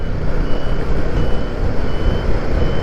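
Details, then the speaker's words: Royal Enfield Guerrilla 450 riding at low speed while turning, indicators on, aftermarket buzzer relocated from under seat to behind speedo: faint evenly spaced high beeps over engine and road rumble, rider can hear it. Indicator buzzer working. "The buzzer is now sounding. I can hear it. I don't suppose you can pick it up."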